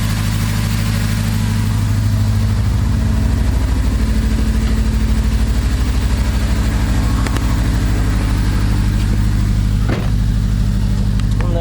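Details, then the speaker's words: Acura RSX after Sirimoto flex-fuel kit and new injectors with a new map: uneven loping idle, air-fuel reading super lean and not getting enough fuel; injectors suspected bad, unconfirmed. "fuel is super super lean uh all right i'm gonna shut the car off still running really weird running super super lean"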